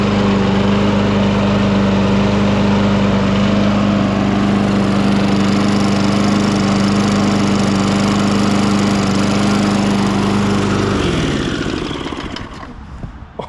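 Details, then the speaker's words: 1998 Ariens 21" self-propelled mower, engine VLV60, idling steady with an even single-cylinder putter and no surging for ten seconds before shutoff, after backing out the adjustment screw two turns to add governor spring tension. "okay it almost sounds decent so what I did actually is I backed out on that it's a little hard to explain but backing out allowed the bracket to shift towards the front of the engine and that put more tension on that spring"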